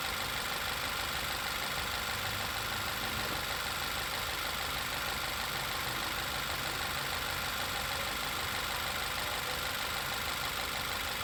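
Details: 2012 Volkswagen Passat TFSI idling: a steady high whistle over the engine hum from a failed PCV valve, which is also linked to misfire, rough idle, lean mixture, oil leak, warning light and P0171/P0174 codes.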